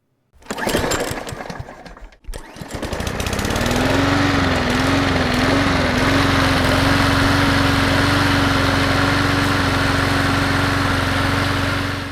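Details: Troy-Bilt riding mower with Kohler 7000 engine, after won't-start/stay-running repair: after handling noise the single engine catches and settles into a steady, even drone at constant speed with no stumbling; normal running.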